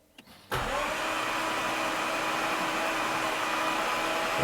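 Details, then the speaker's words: 2018 Jaguar F-Type SVR 5.0 (flood-damaged), newly fitted replacement engine cranked in park with plugs out, no compression, to circulate oil; smooth even starter whir with no compression pulses at steady pace; normal cranking without compression. "Right, so now I've turned the engine over 3 or 4 times. Obviously with no compression, just to get that oil circulating a little bit."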